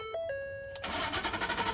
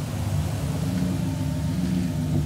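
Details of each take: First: 2012 Ford F-150 FX4 crew cab that cranks but won't start, with no codes. A chime, then even starter pulses with no firing. Cause was a blown fuse 27 in the engine-compartment fuse box; owner had first suspected the fuel pump. Fixed by replacing the fuse. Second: 2012 Ford F-150 FX4 crew cab with crank-no-start fixed by replacing fuse 27, fuel pump relay: steady even low rumble, smooth unbroken idle with no misses or knocks, running healthy.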